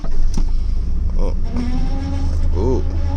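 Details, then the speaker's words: Truck on cold start early morning after a snow storm: heavy low rumble with a wavering, rising-and-falling squeal never heard before; owner suspects something loose from the cold, possibly the power steering; cause unclear. "is that sound that doesn't sound very good first time I've had that huh there we go cold weather all symptoms all things come loose never had that before that's creepy"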